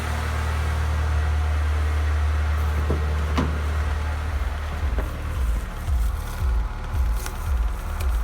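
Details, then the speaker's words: Honda Stream K20A engine after connecting rod bearing replacement and crankshaft polishing; knock on throttle lift-off and at idle when warm is gone. Steady low idle hum with an even beat, no knock or tapping. Normal idle. "также пропал звук при сбросе газа на какое-то время хватит"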